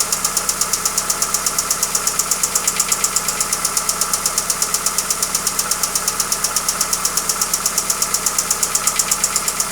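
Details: Hyundai Accent at idle: sharp even ticking knock about 82 per minute over steady idle, very regular; internal engine knock, cause not pinned down.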